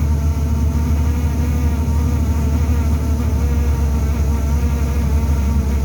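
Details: Inside a TTC bus: a constant low droning buzz at steady pitch. Buzzing vibration, probably coming from the heater.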